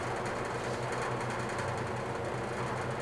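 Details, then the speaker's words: Vintage GE box fan on low speed: low hum with fast buzzy rattle, steady throughout; rattle lessens on medium. "Start it up on low. As you can hear it, rattles a little bit."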